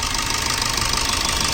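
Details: Maruti Swift idling with an even beat and a sharp, rapid metallic knock throughout, like top-end ticking; injectors being removed, cause not confirmed.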